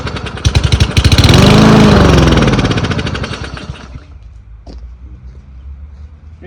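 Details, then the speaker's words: Troy-Bilt 12AV02C2066 mower, single-cylinder engine with a Huayi carburetor and thermal choke: the putter swells and sags as the governor hunts, surging badly; the engine is starving for fuel, a fuel or carburetor issue. "You could hear how it was running. It was surging up and down pretty bad. The motor's starving for fuel, and so the governor's fighting back on it."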